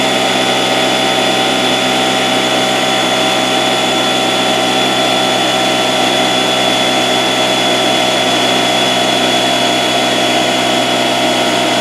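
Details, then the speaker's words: Porter-Cable 6-gallon pancake air compressor, 1.5 hp, after repairing broken copper line that stopped pressure building: loud steady motor-and-pump drone, no knocks; pressure rising to about 70 psi and holding. "well stop it right there you can clearly see on our gauges that the pressure is rising and going up"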